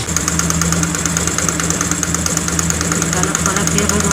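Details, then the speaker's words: Honda Grazia BS4 scooter at idle: sharp, quick ticking about three per second keeping time with the engine, first suspected as timing chain; spark plug found loose, only hand-set, leaking compression. "दोस्तों यहां पर दिखा दे आपको देख का रहे हैं पूरा तरह से पलक हमारा लॉस है पता नहीं कहां पर है दोस्तों खाली फंसा के छोड़ दिया है"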